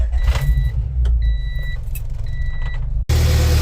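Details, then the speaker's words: Honda H22-swapped EG hatch with a no-start: the new distributor was bad, so a distributor went back in. Cranking with door chimes, then it catches and settles into a steady low rumble, starting normally. "All right, external coil fixture fired right up. It's alive. It's alive."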